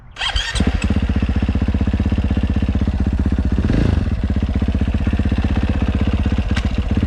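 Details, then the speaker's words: 2022 KTM 450 SXF after transmission repair (5th gear had failed), road test ride through all five gears: steady single-cylinder thump pulling cleanly, revs rising and dropping evenly, no clunks or grinding; all five gears feel good. "well that is pretty much it she is up and running all five gears feel good"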